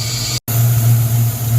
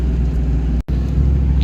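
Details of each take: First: 1994 Ford Mustang GT convertible V8 just started after a new TFI module: idling with a steady low rumble and an airy sucking hiss, a vacuum leak found to be a popped-off PCV valve. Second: 1994 Ford Mustang GT convertible, first test drive after getting it running: engine pulls hard and strong, pitch rising and falling smoothly as the transmission shifts cleanly, no stumble or slip; check engine light on, thermostat housing leaking.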